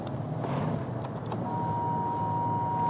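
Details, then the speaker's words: BRP Can-Am Ryker at low idle: a thin steady whine near 1 kHz that holds without wavering. The fuel pump is noisy whether the engine is cold or hot. "Yeah, that pump is just noisy now. Cold, hot, doesn't matter."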